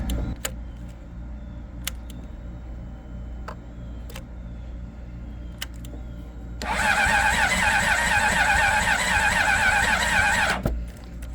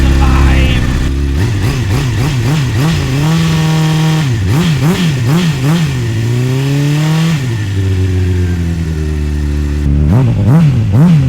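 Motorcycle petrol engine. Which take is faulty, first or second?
first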